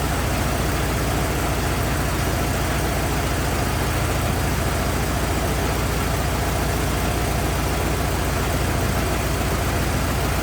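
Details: 1927 Ford TT truck, on battery ignition, choked after restart; steady, even low chugging at slow idle, no misses or knocks; oil leak, owner suspects loose hogshead inspection cover; good runner, normal idle.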